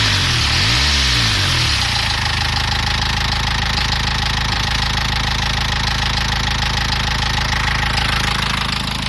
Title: Nissan Qashqai knocking noise